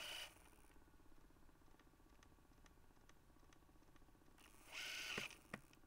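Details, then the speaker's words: Panasonic SJ-MJ78 MDLP portable Minidisc player, fully charged and new battery, lid on: faint quick ticking three or four times a second with occasional louder whirring bursts; drive keeps seeking, never reads the disc. "yeah i don't think we're going to get anywhere with this one"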